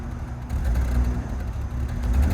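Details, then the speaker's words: BMW E46 325Ci with M54 engine, codes P0300, P1343/P1345/P1347, P0444, P0102, P0313; injectors cleaned, plugs and brake booster replaced. Creeping in reverse, it runs with a low, lumpy, unevenly surging note. Rough running, cause not yet confirmed; burning smell afterward. "That is sounding rough. That is sounding not ideal."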